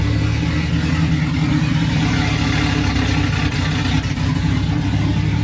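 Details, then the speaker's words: Silverado truck just revived after rebuild, idling while warming up, rear microphone: deep, steady boomy exhaust drone through idle and a light rev, too loud to drive; owner thinks it needs a resonator. "don't think you're going to want to drive it like that it's pretty loud"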